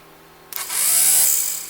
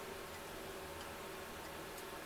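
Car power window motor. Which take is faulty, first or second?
second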